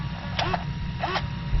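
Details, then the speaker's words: X-Maxx RC steering servo while setting endpoints, held at full flex: low steady buzz with brief whirrs as it struggles and keeps pushing against its stop; servo stalling at the endpoint. "you can hear that right now this servos that's all the way up that's you can just hear it struggling right now"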